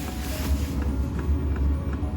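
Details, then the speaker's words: Lavaner 5 kW diesel heater newly fitted in a static caravan, fuel just primed, powered from a leisure battery with solar: steady low fan rumble with soft, regular fuel-pump ticks a few times a second; normal start-up. "fuel pump's working that's a good sign we go going time with the fuel pump so I can hear it powering up"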